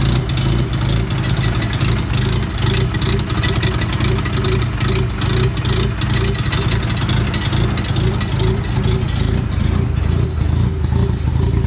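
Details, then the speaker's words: 1988 Mazda RX-7 (S4 chassis) with J-spec S5 Turbo II 13B on MegaSquirt, E85: lumpy rotary idle with irregular sharp pops, ticks and squeak over exhaust rumble from a minor exhaust leak at the downpipe. "there is right at the downpipe I got an exhaust leak very minor one you can hear it just called pop pop pop"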